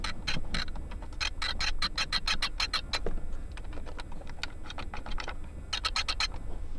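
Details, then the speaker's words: 2022 Audi RS5 cabin: a water bottle in one centre-console cup holder makes dry, uneven clicks and ticks in quick bursts over a low cabin hum, while the other holder stays quiet; owner plans to have the rattle addressed at service. "this is what happens and this is quite annoying if I put anything in here it just starts to make this weird sound"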